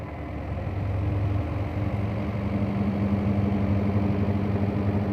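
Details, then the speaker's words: Automatic washing machine (possibly Dawlance) running with the lid closed: steady low motor hum with a soft churning pulse from the drum, even and unstrained, only slight vibration; no abnormal noise, running normally. "कुल smooth चल रही है कोई आवाज नहीं है बाकी ढककर थोड़ी सी आपको नजर आ रही वाइब्रेशन तो इससे कोई फर्क नहीं पड़ेगा दोस्तों और ना ही इसमें ज्यादा आवास है"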